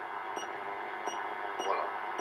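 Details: 1930 tube radio under restoration, IF transformer screws being aligned to 440 kHz with an AM generator signal on the antenna input; steady evenly pulsing test tone clearly over faint speaker hiss, generator level being lowered toward 1 mV.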